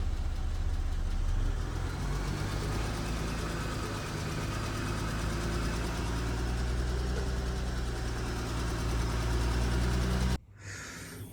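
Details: 2019 Porsche Cayenne S 2.9 twin-turbo V6 (EA839) idling; light, quick ticking over the engine hum, suspected failing rocker arms that can damage the camshaft; cause not confirmed.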